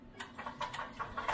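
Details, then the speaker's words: 1986 EZ-Go Marathon golf cart after the carb was cleaned again and fuel squirted into it: sharp pops about five a second that quicken and build into a catching run; it starts and keeps running, though motor mounts are shot. "i think we got a running golf cart"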